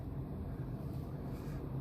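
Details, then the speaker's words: Furnace ECM blower motor just reinstalled (bent bracket straightened) runs with a low, even air rumble, no ticking, rubbing or wobble; runs like it's supposed to and should run about 90 seconds before heat; normal blower operation. "Alright guys, as you can hear, the blower's running like it's supposed to. It should run for like 90 seconds."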